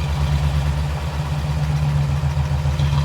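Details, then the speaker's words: Vintage Ford flathead (side-valve) V8 barn find, first run after 30 years sitting: deep, smooth, even low idle with no valvetrain clatter, since the valves sit down in the block; healthy engine ticking over. "nice wow that was good wasn't it wow that's all right it sounds good it sounds really good just giving a that sounds amazing"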